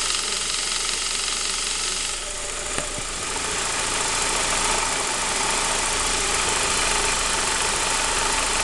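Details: Saab 9-5 B235, cold engine only: a fast, fairly even metallic rattle of about four per second riding over the idle. Owner suspects the timing chain; not confirmed.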